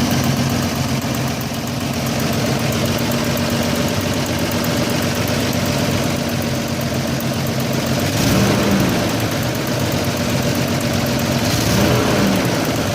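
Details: Engine at idle: steady uneven, slightly lumpy pulse with a faint hiss over the top; rough idle, vacuum leak suspected.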